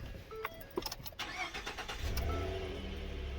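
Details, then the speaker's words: 2013 Ford F-150 that was hard to start after refueling. After reinstalling bolts and reconnecting the tube and electrical connector, a short crank catches quickly and settles into a steady, even idle with no stumble. Starts normally. "so we got done with the blue truck and uh she starts runs fine like I said it's gonna work"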